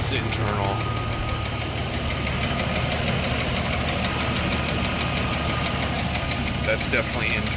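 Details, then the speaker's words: Jeep Cherokee 4.0L at 345,000 miles with a cracked piston at idle: hard, rhythmic knock keeping pace with engine speed, a broken piston skirt slapping the cylinder wall. "Piston slap is what they call it when the skirt of a piston breaks off and causes it to violently bang into the cylinder wall. Obviously, this is terrible for an engine."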